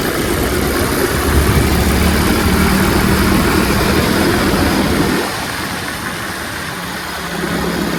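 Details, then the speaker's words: Revived Tao Tao 125cc ATV quad with a new carburetor, ignition switch, stator and pickup, ridden slowly in the rain over curbs. The engine hums smooth and even under load, easing off and picking up cleanly with no misses. Super quiet, healthy running. "super quiet of course it goes over launch like nothing curbs too awesome it's awesome"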